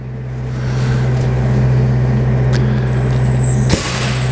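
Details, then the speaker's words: Backpacker Test Set, a 500 bar air-driven hydraulic pump, feeding a hose at about 1 bar in a low-pressure test: a steady low hum with soft air hiss and about four strokes a second, pump working normally. "and you hear that our pump is running and you see slowly the pressure building up and i've got full control this is one bar so we've got a 500 bar pump and i'm putting one bar on the system"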